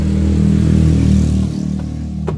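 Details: 2015 Honda Vario 125 that died suddenly, after rejoining a broken wire at the connector: engine fires and runs with a steady, even low drone, then settles to a smooth idle; owner still suspects the previously modified starter relay.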